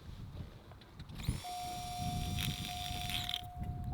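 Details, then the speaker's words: 1991 Oldsmobile Ninety-Eight electric fuel pump, removed and run on the factory harness, whines steadily then grinds roughly on spin-down; fuse-blowing was later traced to the relay, not the pump. "really oh it sounds a bit chunky hear the grinding when it spins down"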